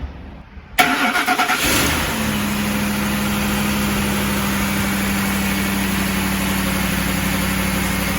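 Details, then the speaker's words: Ford Expedition 3V Triton V8 (4.6/5.4) with code P0012 and a loud clicking, after replacing the VCT solenoid: quick crank, brief rev, then a steady, even idle with no clicking or rattle; normal cold start. "How does that sound? No more clicking noise. Full startup. That's gone."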